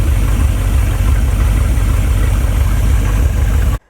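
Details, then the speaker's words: Abandoned Chevrolet C10 project V8, idling until shut off: even, steady low idle with no knocks or misses; it runs quite well and sounds healthy. "Well, there you have it. She does actually run and she runs quite well, if I might add."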